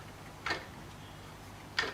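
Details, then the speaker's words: Sieg X2 mini mill spindle gearbox stripped for CNC conversion: sharp clunk about every 1.3 seconds over a low motor hum at high speed; selector gear out of place, gears stripped inside. "I think the gears are stripped inside there as well cuz that shaft is now stop moving look okay okay that's now high speed now you can hear it Go clunk"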